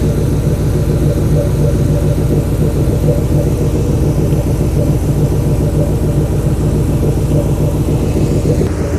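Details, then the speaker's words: New Edge Mustang drift car after water pump replacement, refilled with Prestone 50/50 coolant, warming up uncapped before the radiator fan kicks on; low, steady idle with even burble, no knocks or ticks; normal idle. "I'm gonna let it run for a little bit until I hear that fan kick on and then I'm going to go ahead and cap it"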